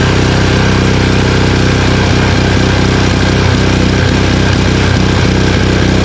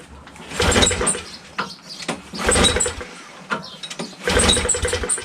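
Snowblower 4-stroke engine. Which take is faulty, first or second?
second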